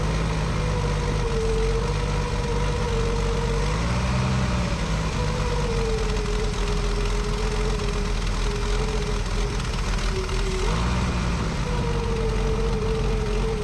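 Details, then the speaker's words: 1965 Ford F100 after years abandoned: rough, lumpy idle with a wandering whistle; vacuum leak persists, blamed on a worn carburetor with stripped holes and wrong gasket set. "All right, you can see we still got a vacuum leak. That carburetor is just trash."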